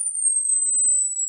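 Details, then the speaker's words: Late-1950s Bush VHF 64 valve radio during recap, leaky out-of-tolerance capacitors replaced in audio stage; clean steady high-pitched test tone above 12 kHz, no hum, crackle or distortion, much louder than before at low volume. "better and it's a lot louder really is loud now so uh I've hardly got that volume on before I had the volume pretty much right up"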